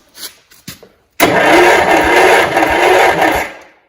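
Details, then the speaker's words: 1971 John Deere 140 H1 garden tractor, long parked. The starter cranks steadily for about two seconds with an even, unbroken churn and no catch. The owner is unsure it was open all the way. Good compression, not firing yet. "It's got compression, so that's good. That means that it might run."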